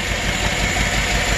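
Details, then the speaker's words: Chevrolet Silverado 5.3 V8 with DOD/AFM, low compression on one cylinder: rough idle with an uneven low thump through steady clatter; the cylinder 3 intake rocker doesn't move at all, a collapsed AFM intake lifter causing the misfire. "And look at these 2 rockers right here. This one right here is not moving at all. No movement. That would be the intake lifter on cylinder 3. It's dead. So that's the source of the misfire, and that's the collapsed lifter."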